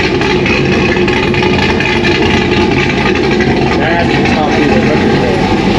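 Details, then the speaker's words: 2001 Pontiac Trans Am WS6 with 500 hp cammed LS1 V8, first start after reassembly on new K-member and engine-dyno break-in, stock MAF refitted: loud idle with choppy cam lope, steady without stumbling; normal cammed idle. "now you can hear the chop there's the chop"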